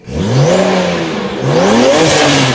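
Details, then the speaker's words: Abandoned BMW 335i with N54 engine and upgraded 19T turbos: engine revs twice with uneven stumbling note and clatter, running rough. "so we got braking driving it kind of sounds like it's running a little rough oh it does sound like it's R it does sound like it's running rough"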